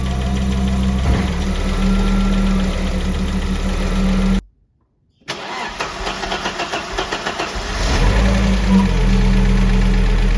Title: Audi 3B Lifter Tick